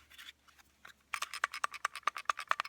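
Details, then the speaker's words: Glock pistol, trigger pulled and slide shaken: about a dozen quick, crisp metallic clicks as the striker rattles freely, showing a clean, dry firing pin channel; no rattle would mean gunk from oil and cleaner, needing disassembly and cleaning. "That's the striker. If you get that full of gunk and it don't rattle, you need to take it apart and clean it right then."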